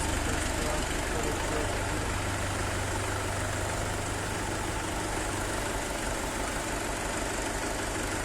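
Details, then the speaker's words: Swaraj 841 XM tractor diesel after repair of thumping engine noise caused by failed rearmost bearing shedding fragments into the crankcase: steady even idle with regular chug, no knocking left; runs clean after repair. "कर लिया है कोई आवाज नहीं ए रही है बहुत कम से कम तैयार कर लेते हैं"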